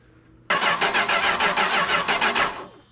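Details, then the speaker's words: 440 big block V8 from a 74 New Yorker, cranked with a screwdriver choke as the starter gets hot: about two seconds of cranking with sporadic firing bursts that don't catch. Suspected ignition switch or coil intermittent power, not engine. Intermittent firing on cranking. "It might be having intermittent power issues to it. Because sometimes she flashes, sometimes she don't. So it's not the engine."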